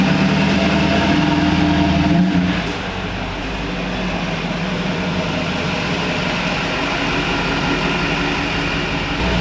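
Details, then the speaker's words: 20-year-old Duramax diesel pickup, recently new injectors, cooling system just opened and topped off, sat a while; brief rev drop then smooth even idle, no knocks, whistles or roughness, no boost leaks heard; normal idle. "all right well it goes into boost okay now bad I don't hear any weird whistles or boost leaks"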